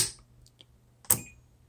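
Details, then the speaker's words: 4-post 12 V DC solenoid/contactor, 12.4 V applied by power probe: two sharp clicks as the coil pulls in, but no continuity across the contacts, so they fail to close, a failed solenoid. "hear the solenoid clicking and you're getting nothing so if that's telling me that the solenoid is actually the coil part is working but it's actually not dropping down making full contact inside so what that means is Solar has failed"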